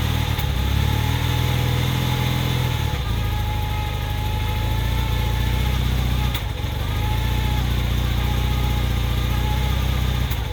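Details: 1981 Honda CM400T twin after top-end rebuild, idling and revving: lumpy, uneven beat with occasional stumbles; slight misfire of unknown cause.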